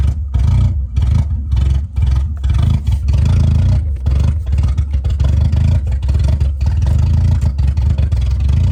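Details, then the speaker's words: Car bought unseen, non-running, started with brake cleaner after refitting air filter housing: loud rough engine surging high and hanging at revs with clattery pulses, no throttle applied; runaway rev, cause unknown. "R: Did you give it gas? U: No R: But why did it rev up"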